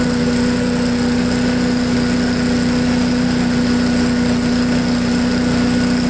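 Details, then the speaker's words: MTD push blower, 5 hp Honda engine, revived after 2+ years of storage, run at full throttle on the ground: steady even high-pitched drone with no dips, surges or knocks; idles well, owner thinks top speed could be slightly higher. "well it runs like a honda it idles real well i want to turn up the idle a little bit on the uh high speed just a little bit it seems like it could run a little faster"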